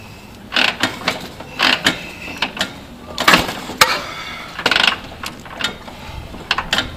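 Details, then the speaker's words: 1949 Harley-Davidson Panhead, long unridden, gum in carburetor: repeated ratcheting clunks kick after kick, engine turning briefly but never firing; fails to start, owner suspects too little gas and gummed carb. "boy I still don't have enough gas in it carburetors people ride their motorcycles enough"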